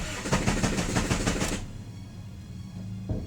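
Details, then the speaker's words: Honda Civic, key light flashing, cranked on 12-volt battery with ignition on; starter spins the engine at about three even beats a second but it never fires, crank no start from active immobilizer. "Okay, there is something that I'm seeing here. Can you see that? In as much as it's flashing, there is no way this car is gonna start."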